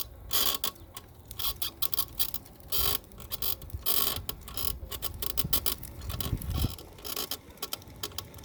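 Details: Golden Technologies Buzzabout power wheelchair, 2 months old, after 5 rides on flat pavement: irregular dry creaks and ticks in short bursts while rolling. The cause was the seat post squeaking, fixed by greasing the seat post with WD40.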